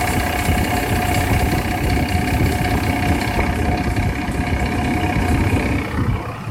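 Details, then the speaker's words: 2001 GMC Sierra V8 at idle with the AC compressor engaged: a loud metallic rattle like a tapping lifter from the compressor area. It stops almost immediately when the AC is turned off and grows louder with use; suspected compressor, clutch or AC tensioner. "hear the rattle there and I'll show you easiest way to test this is to obviously come in here turn that sucker off right you can hear the rattle go away almost immediately"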